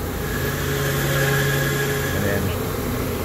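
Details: AAON unit with draw-through fan wheel and Baldor motor (such motors fail at 2 to 4 years): steady hum with a thin high whine and rough rumble at constant pitch; worn fan motor bearing, before replacement.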